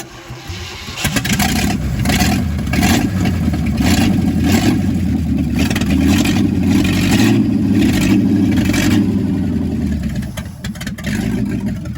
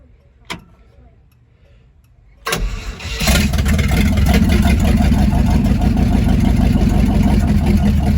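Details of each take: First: Chevrolet C50 truck engine on its first start after a rebuild: it cranks briefly, catches and settles into a steady, even low rumble with no knocks or misses. It puffs some smoke from one side, possibly rings still needing to seal. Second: Chevrolet C50 truck engine on its first start, no gas pedal hooked up: after a click the starter spins it at an even three beats a second, but it won't catch. Oil pressure didn't come up, and the owner suspects it's out of gas.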